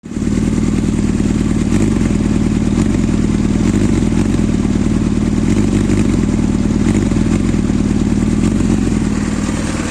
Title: zxr 400 L9 rough idle, delay to response, hang 2k rpm